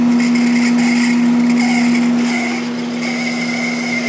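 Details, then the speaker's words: Sharp 10,500 BTU air conditioner starting up: steady motor hum with a high, wavering squeal as the fan spins up, from a dry front fan-motor bearing that was slow to reach speed; fix: oil the bearing. "it's running at full speed now but it's that bearing just sounds awful so I'm gonna have to take this thing apart gonna have to take it apart and oil that bearing"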